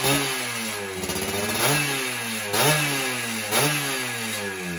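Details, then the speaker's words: Rebuilt two-stroke motorcycle, carburetor setting apparently dialed in, tested stationary before a road test: crisp idle with several quick throttle blips that rise and settle back cleanly; normal running. "Ini saya coba nyalain nih. Ini settingan karbu udah dapat sepertinya."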